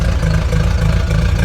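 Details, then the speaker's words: Chevrolet Corvette C4 finally started after being dead, deep loping idle missing beats like a cam and shaking badly; ugly misfire, owner suspects a spark problem. "the car finally got started and it's just having an ugly misfire as you hear it sounds"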